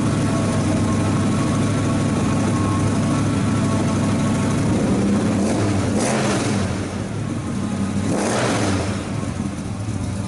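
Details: 1970 Ford Mustang Mach 1 V8 with a rebuilt engine, revived after years of sitting on new plugs, heard near the quarter panel: a lumpy idle with two throttle blips; the carburetor runs rich and needs rebuilding.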